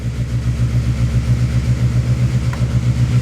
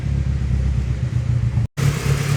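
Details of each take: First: Honda Civic SOHC D16Z6 turbo build with locked VTEC, first fire-up after valve adjustment; runs rough with fast, sharp ticking over the low rumble because two valve adjusters had backed almost completely off. Valve lash tapping from loose adjusters. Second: Honda Civic D16Z6 SOHC turbo build (locked VTEC), after valve readjustment, warming up with idle possibly needing adjustment: low, steady idle rumble with no tapping or ticking; valvetrain quiet and healthy.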